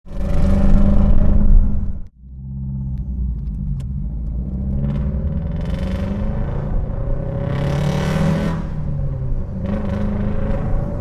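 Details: High-compression Nissan SR20DE with DET block, Tomei 280 cams and Tomei ITBs: deep, lumpy idle with an uneven beat and stumbling throttle blips from a misfire.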